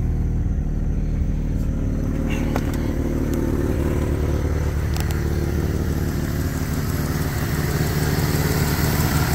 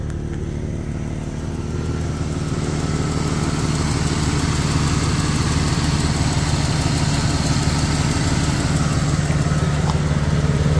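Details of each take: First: Jeep Cherokee XJ, original engine at 230,000 miles, just started: smooth, steady purring idle with no lifter ticks or knocking; the engine sounds solid. Normal idle. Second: 2001 Jeep Cherokee XJ Sport, about 220,000–230,000 miles, idling: light, fairly even tick about three per second over the engine hum from an exhaust leak; no lifter ticks or knocking, with a possible power steering leak also noted.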